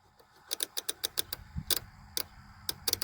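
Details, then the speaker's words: 1999 Chevy Express 2500 WT van, crank-no-start fuel system diagnosis, fuel pump relay bench-tested with 12 V jumped to coil pins 85/86 and a screw as ground: crisp, distinct clicks in quick runs. The relay's switching works normally. "so we know this relay's switch device is working"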